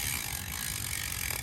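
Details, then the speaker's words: Bicycle rear disc brake, previously squealing from contamination, after applying anti-squeal paste and bedding in the pads: light rolling hiss and soft freehub ticking as the bike comes to a full stop, with no squeal. "as you can tell i just came to a complete stopper there while holding down the pads and nothing has squealed it's a game changer no lie"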